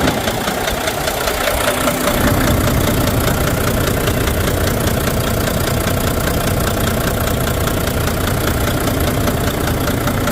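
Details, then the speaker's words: Volvo VNL with a D13 diesel idling with a loud, uneven knock two to three times a second. It has multiple misfires and low power, traced to broken fuel injectors. "Specific sound was very loud, coming from the engine, some area of the engine."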